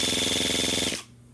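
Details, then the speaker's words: Starter on a model engine run on a 3-cell 11.1 V battery, relay bypassed by hand: brisk, high-pitched whirring crank with a fast even chop for about a second; normal fast cranking. "When that thing turns over that fast, the fuel instantly gets sucked out of the tank right to that carburetor, to that fuel pump."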